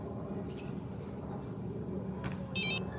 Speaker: by the way if you leave this all for a while it listen this it starts beeping